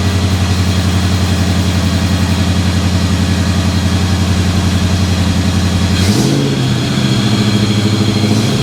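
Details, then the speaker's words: 2000 Ford Explorer XLT 5.0L V8 AWD after replacing serpentine belt, tensioner and upper and lower idler pulleys: even idle with a brief rev blip, belt squeal gone. "yes there we have it looks like the belt squeal is gone"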